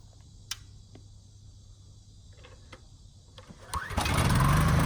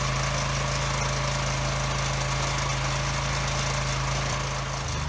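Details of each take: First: Husky generator that sat 5 years on bad fuel with a leaking tank, after carburetor cleaning and a new governor spring, outdoor test run near 61 Hz: quiet clicks, then it catches and settles into an even, steady hum with no misses or knocks. Runs healthy. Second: Husky generator that had sat for five years with bad fuel, running on a temporary fuel line and blowing smoke: a steady, lazy low hum that then winds down and stops. Running below governed speed at about 53 hertz; the owner plans to adjust the speed.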